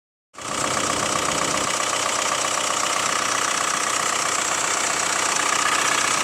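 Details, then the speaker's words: Hyundai ix35 CRDi 136 hp diesel, cold idle after half a day parked at -1°C: light quick metallic clatter, about four ticks a second; owner suspects hydraulic lifters or chain tensioner, unconfirmed. "вот прям слышно клацанье. Не так, чтобы очень, но вот слышно. Вот, это пока на холодную."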